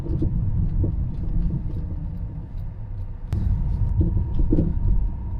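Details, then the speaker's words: Road test: road rumble with irregular dull knocks from the front, coming and going over uneven surfaces; suspected shocks or drop links. "so when you hear a noise like that that's coming in and out as you go over uneven surfaces you have to start to think about the items that can move up and down that stabilize the vehicle"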